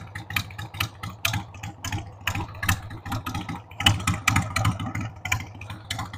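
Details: 1993 Harley-Davidson Sportster 883 Evo V-twin, stored about 15 years, just started on starting fluid with a dead battery: a loping, uneven idle with irregular pops and stumbles between beats. The owner says the carb needs cleaning.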